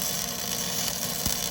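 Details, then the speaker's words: Flux-core welding by a first-time learner using small circular motions: steady, even hiss and crackle like frying bacon, no pops or stutters; normal flux-core arc producing a good-looking weld. "Nathaniel's frying bacon, people. Hey, look at that. That looks pretty damn good."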